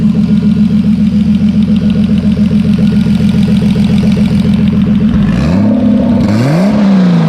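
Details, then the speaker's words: BMW E30 turbo six on first start, running E85 with distilled water/Water Wetter coolant, warming up: smooth even idle pulse with clean blips rising and settling; oil pressure good, AFRs slightly high (lean), normal idle. "Oil pressure's good. So the car is starting to get up to temperature. AFRs are a little high, but it's fine. It sounds good."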